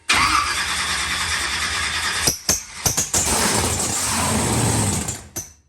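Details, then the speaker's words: Swamp Thing monster truck with an ignition fault, fuel poured straight into the carburettor butterflies: the starter churns with uneven bursts, then the engine catches and settles into a steady run; the no-start was traced to a cheap faulty connector. "that is it Swamp Thing is running we've got to the bottom of why it wouldn't start"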